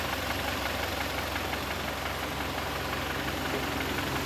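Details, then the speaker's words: Kia Sorento G4KE engine with high oil consumption: steady idle with a light regular knock about three per second from one cylinder; piston slap from piston deposits and minor scuffing. "слышно какой-то один порнк разберём посмотрим так ли это вообще"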